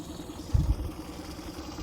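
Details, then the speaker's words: Mercury/Tohatsu 25/30 hp EFI outboard fitted with Honda big tiller, after the install: steady, even low putter at idle with no misses or knocks; idles smoothly and sounds healthy. "As you can see, she runs. This is after the repair."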